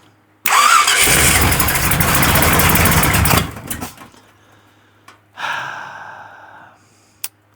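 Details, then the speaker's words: Truck engine with a $200 Temu knockoff carburetor, no choke, two stiff return springs, on a fresh start: it catches, runs loud and ragged about three seconds, then stumbles and dies. Owner suspects it is running lean. "Yeah, she's very very unhappy. And I [snorts] Heat up here. Ah, she is lean farting all over the place."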